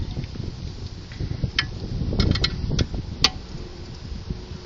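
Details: VW Golf Mk4 1.6 8V with clicking when turning and over bumps, despite replaced wishbones, bushes, ball joints, ARB bushes and links: sharp irregular clicks as the front corner is pushed. Cause found: front shock absorber.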